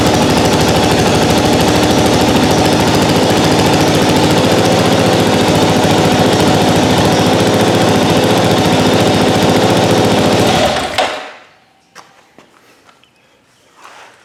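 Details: 2022 Kawasaki KLR 650, brand-new bike just after its first oil change: single cylinder thumps quickly and evenly at about 214 beats a minute, steady and clean, then shuts off; runs healthy.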